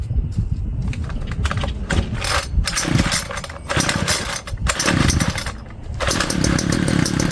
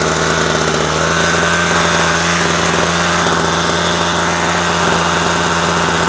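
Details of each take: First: Homelite string trimmer found in garbage, with old bad-smelling fuel, before carb cleaning: short ragged sputtering buzz bursts that pop and cut out between pulls; fires briefly then stalls, fuel starvation suspected, needs carb clean, new filter and probably gaskets. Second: Homelite string trimmer found in the trash, run after carburetor cleaning and a speed adjustment: small two-stroke buzzes at a steady, fast speed with no surging, stumbling or dying; running properly.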